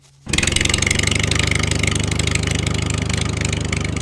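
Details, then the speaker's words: Old Vanguard twin on a roughly 20-year-old, high-hours Bandit 65XP wood chipper after an electric fuel pump conversion, new feed tube and new battery. Catches at once and settles into a steady, even idle with no stumbling; previously wouldn't start, compression not the best. "I fixed the engine. It's running great. You know, it doesn't have the best compression in the world, but I tell you what, it runs great at full throttle."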